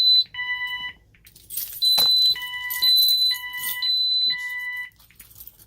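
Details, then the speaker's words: Ademco 6128 alarm keypad on the bench, no modules fitted, fire zone initiating device tested: loud electronic beeps alternating between two pitches, each about half a second. Fire zone alarm. "So anyway, let's go ahead and test out the initiating devices here. First we'll do the fire zone."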